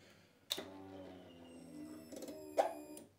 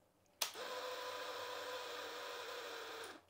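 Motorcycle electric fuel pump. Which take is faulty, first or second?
second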